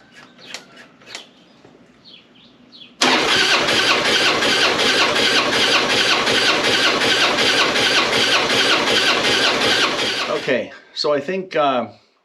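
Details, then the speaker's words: Harley-Davidson Springer cranking on its first start attempt; starter spins fast and even at about three beats a second without catching, with a hollow abnormal rhythm; no fuel on the plugs, front cylinder has compression, rear reads zero, cause suspected only. "I didn't really like the sound of the motor when I tried to turn it over uh I didn't like the sound of it it didn't sound normal so I pulled the plugs"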